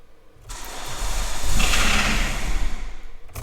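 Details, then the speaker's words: Peugeot diesel that starts rough despite new glow plugs and now only starts on easy start, fuel pump suspected: after a squirt of easy start, brief cranking, catches and surges loudly about two seconds before dying. "that was the easy start let's try without oh near it there we go"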